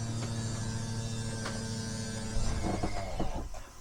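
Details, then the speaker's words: Toyhauler RV sofa slide-out extending: steady low motor hum, then a short rough clunking grind as it bottoms out at full extension; operator releases button when motor draws down; slide motor straining at end of travel. "or the motor drawing down, I let off the the button."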